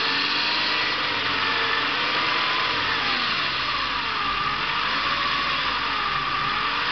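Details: Saab 900 2.0 Turbo, running, oil level normal, starts and accelerates fine: steady engine with a thin whistle drifting up and down in pitch, abnormal engine noise; solved by replacing some hoses.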